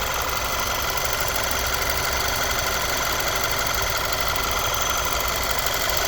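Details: Audi A4 B8 at idle: a light, fast metallic rattle rides over the steady engine note; timing chain suspected, not confirmed.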